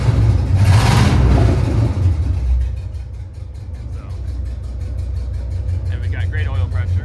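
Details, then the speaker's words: C3500HD after coil pack swap, two cylinders not firing; deep rumble flares on a quick rev then settles into a lumpy, stumbling idle, more responsive than before: engine misfire. "So, this is the best that it runs. Has ran, but you can hell tell it's got a hell of a misfire, but it's very a lot more responsive than than it was."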